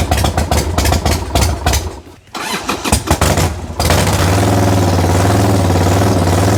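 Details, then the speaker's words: 1990 Harley-Davidson Sportster 1200 after 10 years in storage, with old gas drained, new battery and plugs: uneven sputtering catches, coughs and a lumpy idle, but it won't keep running. Lots of smoke; owner suspects fuel (dirty carbs or petcock). "a lot of smoke this is a fuel issue so either the carbs need to get cleaned out a little bit more"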